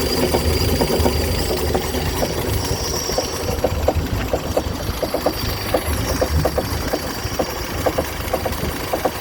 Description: I noticed this irregular clucking sound this morning. Engine was completely rebuilt 2 years ago. It still runs smoothly.